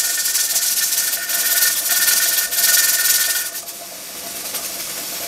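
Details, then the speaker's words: Pressure canner with dial gauge after heat was slowly decreased: steady steam hiss softening and settling, weight no longer rattling hard, temperature and PSI holding steady; normal operating pressure, weight should rock one to four times a minute. "I've slowly decreased my heat and you can tell it's not going crazy anymore my temperature and the PSI reading on my dial gauge are holding steady"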